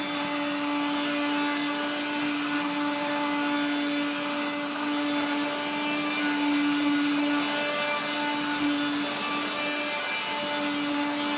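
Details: 1970s blue Regina Electrikbroom 3-speed vacuum, just arrived, vacuuming a floor. The motor and fan are dry after someone washed it. A steady motor drone has a gritty, rasping grind layered on top from dry motor bearings.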